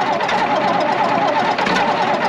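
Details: 82-year-old AEC Matador truck diesel, cold-started at −4°C in snow and not run since October: once it catches it holds a quick, steady, even clatter with no stumbling. Normal cold idle.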